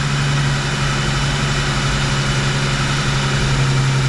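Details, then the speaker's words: Freshly rebuilt Rochester 2G carburetor at warm idle: turning the idle mixture screws in leans it, so the steady drone's pitch drops, then each is backed out half a turn. "you hear the pitch change so now once you hear it drop down a little bit I turn it out like a half a turn"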